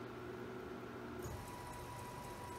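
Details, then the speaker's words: Bridgeport R2E3 Boss 8 CNC retrofit, table servo at its top jog speed of 60 inches per minute: a quiet, even hum with a faint steady whine holding one pitch, no grinding or knocking. It runs without problem and the drive stays cool; normal. "all right let's go to the fastest that it'll go right down the jog which is 60 inches per minute and it's got this oh"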